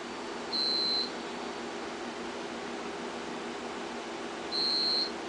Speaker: here's are the UPS's down here they're beeping they should be running on battery backup something is wrong